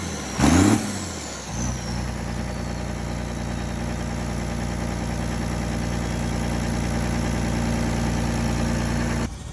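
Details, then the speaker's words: Diesel engine after being found locked up, then gone through and reassembled: cranks and catches quickly, settles to a steady even idle without knock, shuts off cleanly; now running perfectly, normal start and idle. "here it is after i went through everything got her all back together again and now it's running perfectly"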